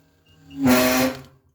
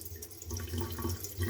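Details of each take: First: Gas water heater whistling, buzzing and rattling with water hiss when the hot tap is opened only slightly; a dripping tap suggests a loose worn faucet cartridge, to be replaced. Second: Gas water heater after replacing the worn kitchen tap valve cartridge: water runs gently with a low steady hum, the whistle and rattling gone.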